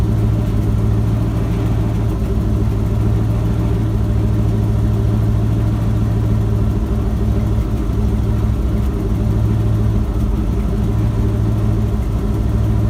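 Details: Ford F-250 with a 7.5L 460 big-block V8 after replacing the starter bypass solenoid for a no-crank, no-start. Deep, even burble with a steady low hum and no knocks or misses; a smooth, healthy idle.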